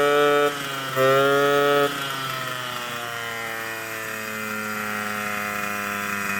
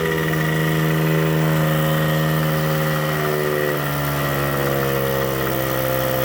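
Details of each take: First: 1979 Suzuki JR50 two-stroke after long storage, exhaust restrictor removed, about 42:1 premix, air cleaner off: it buzzes at a high idle, then the pitch climbs smoothly with throttle without stumbling. Revs out cleanly, though it smokes somewhat and a seal leak is possible. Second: 1979 Suzuki JR50 two-stroke minibike after float setting recheck, smoking more: idle with slight sputtering and wandering pitch; hand around carburetor isolates an intake air leak, likely why it won't rev out.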